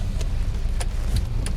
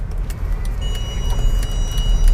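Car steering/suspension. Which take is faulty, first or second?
second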